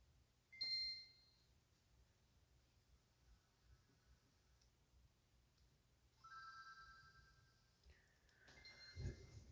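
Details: Nintendo Game Boy Advance after cleaning contacts: bright chimes and tones come clearly from the speaker, then a pause and more tones. Sound output works; inserting a headphone plug cuts the sound, and the jack still needs more cleaning.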